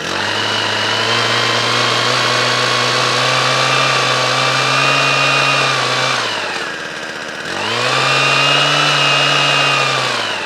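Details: Winterized two-stroke equipment restarted after storage, second pull: high, crisp buzz holds steady, dips briefly and picks straight back up cleanly; running healthily.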